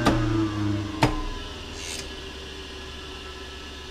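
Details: American Rotary 25HP rotary phase converter, newly wall-mounted and wired, shut off with machine switch off: a switch clunk, then the hum cuts out and the idler motor's whirr fades away evenly; normal coast-down after switch-off.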